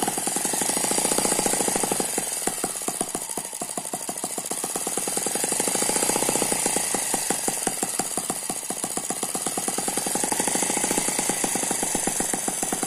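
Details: Eachine ET9 (M15) mini gasoline engine, a balanced single cylinder with twin counterbalances, running on a tarpaulin: rapid, very even firing at a steady speed with no misses or surging; very smooth running.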